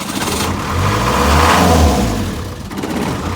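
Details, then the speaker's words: 1962 Land Rover Series 2A 109 LWB 2.25L diesel after timing chain adjustment, started after glow plugs warmed, out of gear, hand throttle holding idle: catches quickly, even steady idle with firm low knock, no misfire, no smoke. "As you can see, now we're just started it up and there's no smoke."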